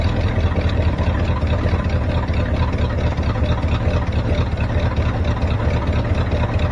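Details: 1973 Ford F350 dump truck (1976 cab) V8 at idle with no throttle: deep, slow, slightly uneven burble; idle speed seems set too low, owner also suspects a vacuum leak and plans to adjust the idle screw.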